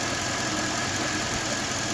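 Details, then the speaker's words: Petrol engine idling with a new non-original ContiTech accessory belt, fitted alongside a new water pump and rollers, after spraying silicone on the belt: squeak gone, steady even hum; the belt itself, not the rollers, caused the squeak. "так вот у нас силикон брызгаем на ремень и чудесным образом у нас скрип посторонний ушел"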